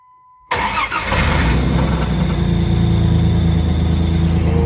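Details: 1999 Dodge Ram 1500 2WD 3.9 L, first start in neutral after fuel line connector repair (3/8 adapter, 5/16 hose) and priming: quick crank, catches at once, smooth steady idle with no stumble; no leaks.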